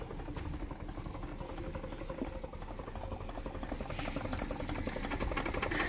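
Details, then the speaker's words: Land Rover 109 with 2.25 litre single-carburetor engine, due for overhaul, starting lazily and needing throttle: uneven idle with irregular stumbling beat, odd exhaust tone and speed dips near stalling; misfire, compression test next. "It has a bit of miss fire and even you can hear how the exhaust tone is like."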